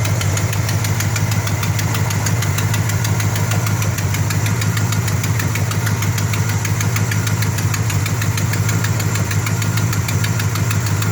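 Steady idle with a fast, uneven puffing tick riding on the low rumble, no change in speed; sounds like an exhaust leak.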